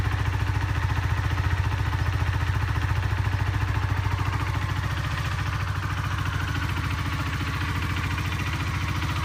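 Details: Honda CBR125R single idling with a steady metallic rattle on each firing pulse, first heard while riding home; engine strip found a fractured gudgeon (wrist) pin, caught before it destroyed the cylinder.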